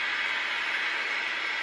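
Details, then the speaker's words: 1959 Philco Predicta Holiday TV warming up, drawing about 0.8 A: harsh high-pitched whine over a steady hiss from the high-voltage section as brightness is adjusted; horizontal frequency far off, killing high voltage until readjusted. "now there is a fine and of course horizontal frequency adjustment and with these sets with the horizontal frequencies off like it tends to sound really horrible and it kills the high voltage"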